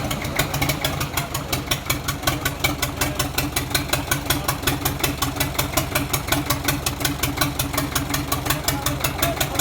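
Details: Four-cylinder Chinese diesel engine for a road roller: loud clattering, uneven lumpy beat near 160 per minute; it was missing, and the injection pump has since been repaired and refitted but not yet tested.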